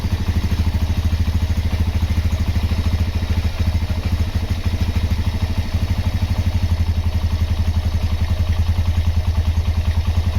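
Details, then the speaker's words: Honda GL Max Neotech single-cylinder motorcycle engine after a full engine restoration. Even, steady low thump at idle with no ticking or knocking; sounds healthy and smooth, a normal idle. "Oke, itu dia hasil peremajaan mesin Honda GLmax Neotech. Untuk suara mesin silakan didengar sendiri ya."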